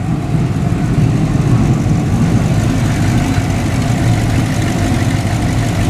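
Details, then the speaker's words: Wife's GM 5.3L naturally aspirated V8 truck (ex-fleet engine, no AFM) after cam install and cylinder deactivation delete: deep choppy loping idle, drives smooth like stock but doesn't sound stock; normal cammed idle. "What's nice is the cam actually runs really smoothly when you're just doing normal driving. It feels like a stock truck, but at idle, it doesn't sound like a stock truck."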